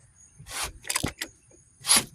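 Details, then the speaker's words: Mopar big-block engine with gummy oil, turned over by hand with the spark plugs out: sharp hissy puffs in uneven bursts from the plug holes; compression judged good by ear and feel, not gauge-tested. Oil pump still pumps. "You can hear the compression. So I didn't technically put a compression checker on it, but it seems to have good compression from by the ear, by turning the motor, seeing like it feels pretty tight, but it's not crazy tight, and it's not loose"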